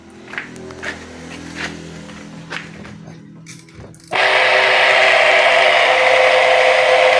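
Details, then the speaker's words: Top-loading washer (tanquinho) motor, rusted from water getting in due to a damp location: after faint tapping, a loud, rough, constant whir; bearings running dry and possibly already damaged, lubrication needed. "zoada. Essa zoada aí é porque tá seco, tá?"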